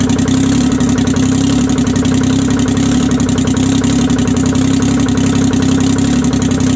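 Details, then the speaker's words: 1968 Detroit 3-53T two-stroke diesel, first cold start after total overhaul, engine 4.5°C/40°F, outside -3°C: steady, even idle with crisp, regular firing beat, no knocks or misses; normal idle. "she runs pretty good guys well uh she runs good"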